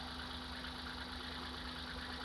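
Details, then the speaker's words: Hyundai Eon at idle after a misfire diagnosis and securing the ignition caps: low, even idle hum with a steady tone, less vibration and quieter than before; normal idle. "so you'll notice there is less vibration and the engine and end game is quieter okay"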